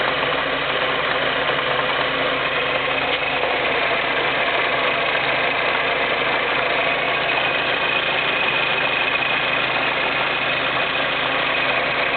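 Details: Skoda Fabia 6Y2 at steady idle: an even gritty rattle and hiss over the engine that doesn't change; abnormal transmission sound, cause not clear.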